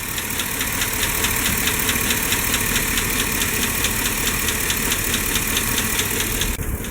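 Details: Chevy Silverado/GMC Sierra 5.3 V8 at idle, light even tick a little over twice a second; lifter tick, also exhaust leak noted; eventually solved with new O-ring.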